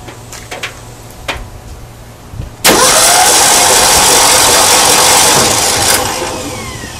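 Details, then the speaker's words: 1972 Ford Bronco 302 V8, not run in about 20 years, cranked with the distributor out via a remote starter switch. The starter engages sharply and spins the engine at a steady, even pace with no grinding or binding, then winds down. Valves on the driver's side open and close normally. "So I'm just checking to see, one, if the starter works now, and it does. And two, I'm checking to see if all the valves are opening and closing, so I don't have any hung open or flattened lobes and valves aren't opening."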